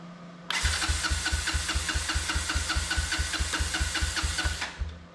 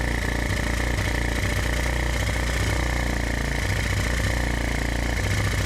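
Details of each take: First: Honda ATC 125M three-wheeler on electric start, in neutral with choke and fuel on: the starter churns evenly and quickly for about four seconds but there's no ignition pop and it never catches. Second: Honda ATC 125M three-wheeler, revived after being abandoned, new fuel filter fitted, carb slide checked to bottom out: single cylinder catches and settles into a steady, even putter at idle after a brief rev; starting and running normally.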